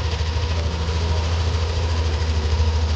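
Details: Yamaha Aerox V2 scooter engine after reassembly and valve adjustment fix, idling smoothly with a low, even putter and no rattle or ticking; parts showed no other problem.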